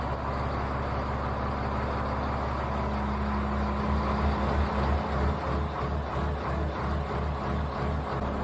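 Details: Caterpillar-swapped Ford F350 diesel with temporary wiring, restarted after first start in a year: deep, steady diesel rumble at even idle, no knocks or misses; running normally.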